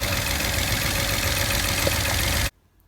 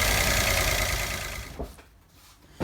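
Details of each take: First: Peugeot 107 / Citroen C1 / Toyota Aygo 1.0L three-cylinder, lacking power: rough, shaky idle with uneven beat, running on two cylinders with one misfiring, before coil packs are checked. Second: Peugeot 107 / Citroen C1 / Toyota Aygo 1.0-litre three-cylinder, after replacing a faulty ignition coil that caused a misfire, rough running and loss of power: a brief, even idle with no stumble or shake; the engine runs normally again.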